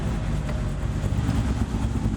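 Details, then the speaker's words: LS-swapped Chevy S10 heard from inside the cab after fitting Remflex header gaskets and a doubled copper collector gasket on leaking eBay headers: steady deep rumble, much quieter, no exhaust-leak ticking. "meaning the leak or any exhaust leak really much quieter"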